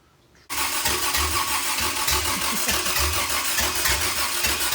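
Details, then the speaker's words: Toyota 2F engine, first start after a full rebuild with an upgraded starter: starter churns steadily at a few turns per second with only faint, weak catches, trying to cough but never really firing; the engine is flooded. "but it seems like it tried to hit a few times yeah I thought I felt it sounding you want to cough yeah in the life but not real strong"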